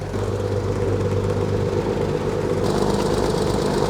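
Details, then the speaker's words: Cirrus SR22 aircraft engine after sitting abandoned 11 years, idling at about 1000 rpm on a hot day with good oil pressure. A steady, even low drone with no misses or knocks. A normal, smooth idle. "oh man it's running perfectly smooth man it sounds so good we got good oil pressure"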